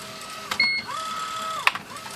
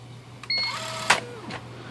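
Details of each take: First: IBM Wheelwriter 10 typewriter after the binding carrier was fixed (carrier rail oiled and refitted): carrier whirs smoothly back and forth with crisp print strikes and clean returns, no binding or grinding; normal carrier operation. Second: IBM Wheelwriter 10 typewriter carrier binding: brief whirring squeal from the carrier stepping motor, then a sharp bang as the stiff carrier slams against the rail and jams, having lost its position.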